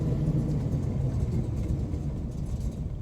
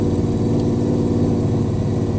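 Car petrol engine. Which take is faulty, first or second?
first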